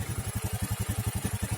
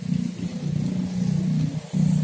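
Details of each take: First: Honda Scoopy FI injection scooter (2018 or 2019) idling steadily after repair of brebet/stalling when warmed up; fuel pressure about 4.2–4.3, no longer dropping or dying, road-tested with good power; clean single-cylinder putter with no stumbling: normal idle. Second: Honda Scoopy injection scooter (2018 or 2019) sputters at half throttle, revving unevenly and nearly dying, as fuel pressure drops from 4.2–4.3 to below 20 then recovers; likely air bubbles in the fuel line from an airtight tank cap vent starve the engine.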